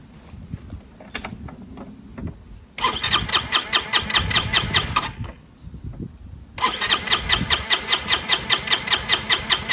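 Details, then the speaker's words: Chinese GY6 150cc motor scooter, previously bogging on acceleration, after lying on its side: starter whirs in two long bursts with steady compression pulses but never catches; owner suspects clogged air filter/airbox and out-of-whack mixture. "Won't even start."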